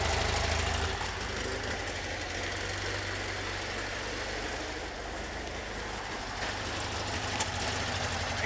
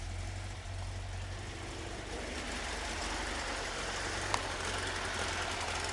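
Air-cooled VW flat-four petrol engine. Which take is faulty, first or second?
second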